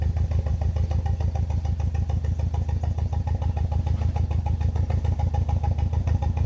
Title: BMW E46 318i N42B20 misfire sound